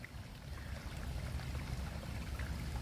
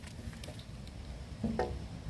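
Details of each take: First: Sump pump discharge line for a foundation drain, pushing water uphill and purging air during rainy season: steady splashing pour with constant flow and no surging or sputtering; outlet emptying normally. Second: Outdoor chambered sump pump system with a 1/3 hp pump and no check valve, just after the pump shuts off: water in the 100–130 ft discharge line drains downhill back into the chamber, giving soft irregular gurgles and wet patters as it siphons back.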